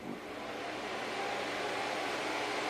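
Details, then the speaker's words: Packard Bell iMedia S3720 desktop at power-on: a small fan, about 80 mm, roars up over the first second and stays very loud while the machine doesn't boot; something inside is suspected disconnected. "okay so something's not happy inside it's out it's very loud and I'm surprised at how much air that little fan is shifting"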